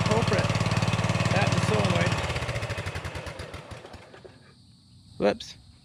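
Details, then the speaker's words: Customer's Murray 42-inch riding mower runs with a steady, fast, even single-cylinder thump, charging the battery after the ignition switch was suspected as the culprit; runs fine. "we'll just let it run for a little bit charge up the battery and make sure it runs good"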